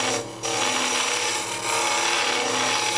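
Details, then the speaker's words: Woodturning a captive-ring wedding goblet on a lathe with a ring tool: harsh scraping cut with buzzy chatter between brief pauses, as the tool touches the left and front sides of the ring at the intersection, two points of contact adding drag and noise. "A little vibration from touching the left side of that circle and the front side of that circle. So you have 2 points of contact at that point. So it's gonna be a little more drag, a little more noise."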